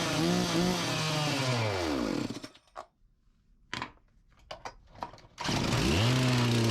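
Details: Farmertec MS361 clone chainsaw after top- and bottom-end rebuilds; screams at a steady high pitch then cuts out instead of settling to idle. Revs too high and won't idle, cause unconfirmed.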